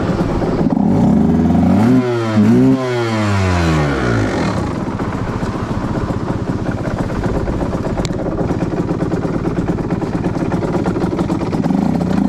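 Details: 2010 Aprilia RS 125 two-stroke with a VHSB34LD 34mm carb (162 main jet, K57 needle top clip, B36 pilot, air screw 2.5 turns out): revs climb and fall unevenly, stuttering around 6,000–7,000 RPM. The stock needle is suspected of letting too much fuel through the midrange; the fix is a leaner K21 needle.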